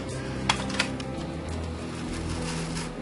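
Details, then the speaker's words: Aurora slot car Mustang Fastback restoration, motor run on transformer before oiling: steady buzzing hum with uneven rasp and sharp clicks, dry and rough; needs oil, runs much smoother once oiled. "it sounds like it needs some help diving guys let's see you know oil does too"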